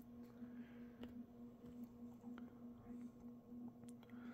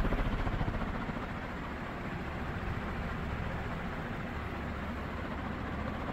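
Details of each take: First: Mid-to-late 1980s 56-inch industrial ceiling fan (possibly HRS), cast iron motor, on a 5-speed coil choke control: steady 60-cycle buzz with faint clunks about every half second from a loose-fitting motor housing at the bearing. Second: Second mid-to-late-1980s 56-inch cast-iron-motor industrial ceiling fan run straight to high: steady even hum and airflow, no clunks or 60-cycle hum, no loose bearing; smooth normal running.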